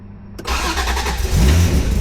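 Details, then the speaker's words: NSX with fully built supercharged engine, larger throttle body, start after throttle position adjustment during startup tune: quick crank, catches and settles into a loud, steady idle with no stumbling; much better than before. "Oh, there she is. That's so much better."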